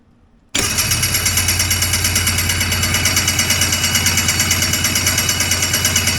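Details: Homebuilt Hurricane hovercraft two-stroke engine after a new coil and carb work, with fuel dripping from the carbs and the fuel supply unhooked: it catches, then runs with an uneven pulsing beat about three a second. The engine is flooding.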